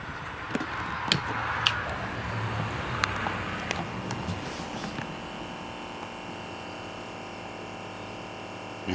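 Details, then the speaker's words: 1980s Sound Design 4653 boombox cassette deck: faint steady motor hum with no reel or tape movement; drive not reaching the transport, owner suspects the belt. "hear the motor running but uh nothing's turning so that means we're gonna have to tear it down and yeah i'm sure it it's a belt most of the time on these"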